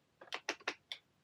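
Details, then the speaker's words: Hedge cutter after reassembly and wiring repairs, still not working: a few dull clunks then silence, motor seems to stall; owner suspects a mechanical fault, maybe a seized or stiff blade triggering a current limit, not confirmed. "So it's almost like the motor's stalling. So click down, 2 clicks, and then it stops. So that kind of makes you think it's not electrical, it's more of a mechanical issue."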